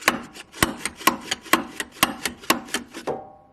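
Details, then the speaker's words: Mercedes ML55 AMG W163 shock removed and stroked by hand: sharp, hollow clunks about twice a second, banging at each end with no damping; a blown shock absorber, being replaced with an upgrade. "see that's that noise we keep hearing slamming and this shock isn't absorbing anything"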